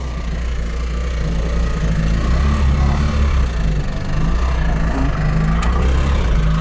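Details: Trabant 601 with a €30 flea-market two-stroke engine, which seized at 90 km/h and was restarted after cooling: rough, uneven running with a loose rattle over a deep drone that rises and dips; bearing damage rather than piston seizure.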